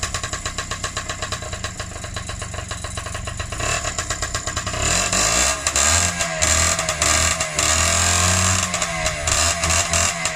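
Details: Freshly rebuilt Honda QR50 two-stroke started outdoors in the yard, oil topped up, little petrol in, new carb fitted: crisp ring-ding idle picking up cleanly on throttle blips and settling back evenly; normal running.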